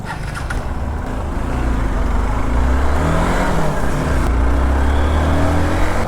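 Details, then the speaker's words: Hero Xpulse Pro on a short test ride just after its 5th service and oil change: steady low engine drone firming with throttle, no knocks or rattles. Engine feels smoother, which the rider credits to the oil change. "Oil മാറിയത് കൊണ്ടാണെന്ന് തോന്നുന്നു കേട്ടോ അത്യാവശ്യം നല്ല രീതിക്ക് വണ്ടി smooth ആയ പോലെ തോന്നുന്നുണ്ട്"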